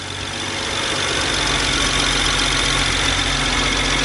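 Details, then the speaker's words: BMW 135i after replacing cylinder 5 ignition part to cure misfire: steady, even idle with smooth hum and no stumbles; not misfiring, no codes. "so I'm gonna turn it on if it's misfiring right away then we know that it's not the right size so it's not misfiring"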